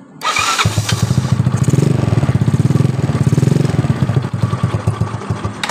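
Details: Yamaha Mio Soul scooter after repair of a worn rear dynamo cover/starter mount that caused rough noise at electric start and shutdown: engine catches cleanly into a quick, even putter with no grinding from the starter; starts and runs normally.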